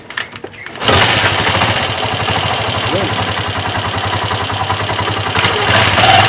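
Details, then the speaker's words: Honda TMX Alpha 125 single-cylinder motorcycle engine starts and runs rough and loud, with metallic clatter and a whine in first gear, from worn timing gears and a bearing, before teardown and parts replacement. "yan Mga Pre Kung naririnig niyo maingay siya no tapos humuhuni sa primera"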